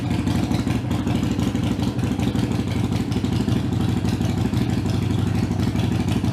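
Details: Harley-Davidson Iron 883 before booster tuning (meant to reduce heat and vibration): deep, even, lumpy V-twin idle at about three pulses a second, steady loudness, no knocks or misses; running smooth.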